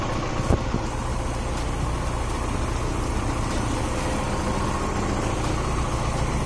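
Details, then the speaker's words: Honda H22A engine idling after ARP head stud install and new intake, running rich, oil leaking at cam seal and distributor: steady low idle with faint irregular tap; unidentified odd noise at idle. "I don't know what that noise was. Something sounded kind of funny."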